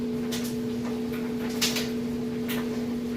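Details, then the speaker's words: Kenmore super capacity plus electric dryer on time dry with clothes, just cleaned out: steady even motor hum, drum turning smoothly and balanced, a few light ticks from tumbling clothes, no knocking or scraping; running fine and heating. "and balanced no weird noises or anything like that"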